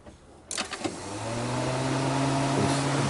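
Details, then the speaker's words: 2007 Cadillac DTS with the radiator fan wire bypassed, engine off: a click at ignition-on, then fan hum rising and settling within a second; the fan runs as soon as the ignition is on instead of being computer-controlled. "when the ignition turns on the fan comes on automatically it's not supposed to do that it's supposed to do it the computer is supposed to control it"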